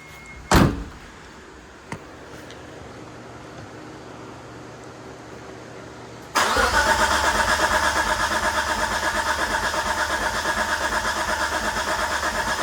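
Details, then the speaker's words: Mitsubishi 3000GT VR4, first start of new engine after 3 years abandoned, exhaust off, cranked to build oil pressure: steady churn about three pulses a second, trying to fire but not running; owner suspects fuel pump was dry. "Not sure why that tried to fire. Pump was probably dry for sitting for so long."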